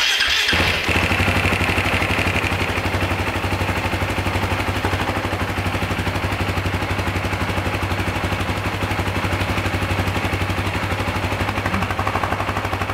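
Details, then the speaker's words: 2009 Husaberg FE 450 single-cylinder after idle adjustment: steady, even thump at a slow, settled idle with no hunting or stumbling, sounding much quieter and freer than before; normal idle. "hört sich viel ruhiger an viel viel freier langsamer soll eigentlich so passen"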